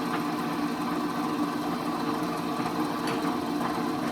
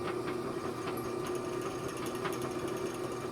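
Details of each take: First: Old Rockwell Delta drill press after fixing severe spindle runout, bit fitted for testing: even, steady motor hum with smooth spinning whir, no wobble, rattle or knock; runout much improved though not yet measured with a gauge. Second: Old Rockwell Delta drill press before repair: light motor whirr with a quick irregular ticking rattle from the friction-fit chuck wobbling on its shaft; severe chuck runout rattle.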